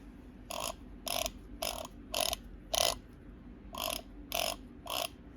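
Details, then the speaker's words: Starter motor removed from 2006 Yamaha RS Venture 1000cc four-stroke snowmobile, spun in about nine short harsh gritty whirring bursts; engine wouldn't turn over, bad starter. "It's a bad starter. Got the starter out here. You can hear it."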